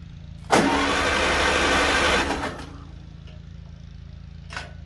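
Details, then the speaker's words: 1955 Farmall Cub after a new starter and carburetor were fitted, battery on a trickle charger below 80%: brisk, even starter whir for about two seconds with strong, steady turnover and no grinding. Normal cranking. "Ooh, that sounds good turning."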